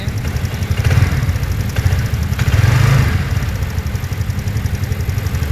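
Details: TVS Ntorq 125 BS6 scooter after adjusting tappets: an even, soft idle with a steady low beat and no top-end ticking; the earlier engine noise is gone.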